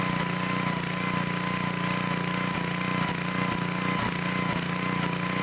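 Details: Old Dayton generator that sat unused for 30 years, reassembled after service and started for an RPM check: steady engine drone with an even beat of about three pulses a second, holding speed without surging; normal running.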